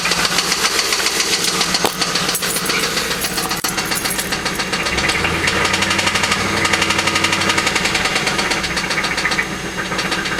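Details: LS1 V8 at rough idle with rapid metallic bottom-end knocking, about four per second, heard the same night the car was bought; owner suspects a spun bearing, not confirmed.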